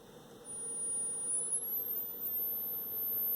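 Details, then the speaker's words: One speaker of a vintage Lloyds 8M36W-07A all-in-one stereo on a test amplifier, sine sweep from 20 Hz: clean pure tone sweeps upward smoothly, no resonances, rattles or buzzes, solid to 10 kHz, rolling off after about 13 kHz; normal frequency response. "all right no resonances or anything that's good pretty solid up to 10 K and"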